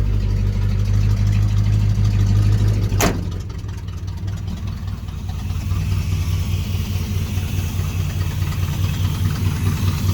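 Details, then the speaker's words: 1980 C30 dually with a 350 small-block V8, first start of an old carbureted truck: a deep idle loping unevenly, then a sharp crack and a lower, shakier beat. It idles too slowly and quits minutes later; the fuel filter was found empty. "All right, started idling real slow. I was running for a few minutes and it quit."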